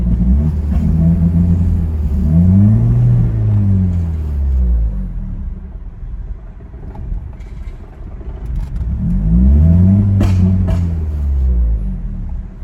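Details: 2002 Ford Focus SVT, warm after 15 minutes, low uneven idle rising and sagging (hunting), stalls unless gas pressed; fuel pump, filter, injectors, plugs, wires, MAF, PCV, IACV, O2 sensors replaced, throttle body cleaned — rough idle, cause unknown.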